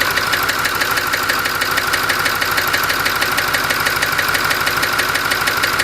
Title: 6.4 Ford knocking noise